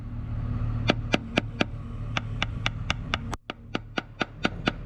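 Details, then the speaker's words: Project boat transom being tap-tested for rot: sharp taps at about two per second sound solid at the side corner but dull and hollow under the deck drain, where the core has rotted. "We are listening for a hollow or a solid sound. You can really hear it here on the side of this transom where the corner is solid, and then under the deck drain you can hear that it is hollow and rotten."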